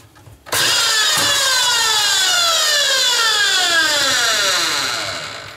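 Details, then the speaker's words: Electric motor rated 1450 rpm: high whirring whine with rough buzzy edge and sliding pitch; owner suspects the brushes are getting beaten up, not confirmed. "sure sounds funny sounds like the brushes are really getting a beaten in there"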